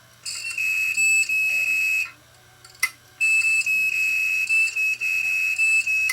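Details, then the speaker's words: Failed 1TB Western Digital hard drive from a DVR that failed due to bad HDD; platter not seized but drive beeps, a high steady tone pulsing about every half second instead of spinning up; "not happy", drive is shot. "it's not happy. Definitely not happy."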